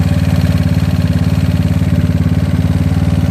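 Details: GY6 single-cylinder scooter engine with an OKO PWK 30mm carburetor and K&N filter, idling at about three thumps a second, slightly uneven and sagging as the idle wanders during carb tuning.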